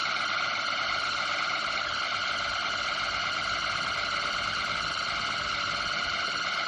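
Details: Noisy table fan before oiling shaft and bearing: steady high shrill whine at one pitch, no rhythm; suspected dry squealing bearing, not confirmed.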